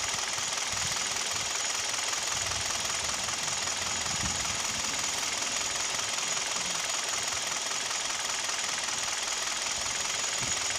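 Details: Kia/Hyundai G4KD Theta II petrol engine, recorded from inside the cabin: steady, fairly even knock over smooth idle with a thin high hiss, plus vibration; owner suspects piston knock, also heard at 1500 rpm.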